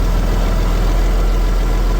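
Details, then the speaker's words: Marine flathead in a 1956 Century Resorter boat, first run after years sitting in a field, fuel from a jerry can, cooling hooked up, short run: deep even low rumble, steady beat, no misses, knocks or rattles; normal running. "that's about all we're going to let it run for we have it hooked up cooling but uh it seems to be running pretty good we don't seem to have any major issues with"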